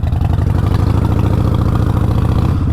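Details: 2020 Harley-Davidson Roadster after an exhaust leak repair (disconnected flange refitted with new nuts): a steady, lumpy V-twin idle with an even beat and no ticking or exhaust puffing. Bike fixed and healthy.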